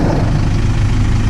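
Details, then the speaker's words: Isuzu 4JH1 diesel after a full transmission overhaul and clutch adjustment: steady, low, even idle with no gearbox rattle, which was present on the earlier first start and is now gone. "Wala nang katunog-tunog oh. Tahimik na."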